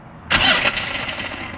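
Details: 6x6 Land Rover Perentie ambulance that wouldn't start, fixed with a screwdriver; a sharp burst as it catches, then a steady, even run settling down. The engine starts and runs.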